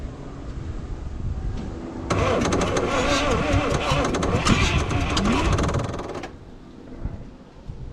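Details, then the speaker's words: 1968 International 1100C truck with engine from a 1976 Scout II, not run in years, throttle return spring missing: starter churns about four turns a second for four seconds, never catches; owner suspects worn battery. "so uh she was cranking uh maybe the battery is a little worn out let's grab another battery"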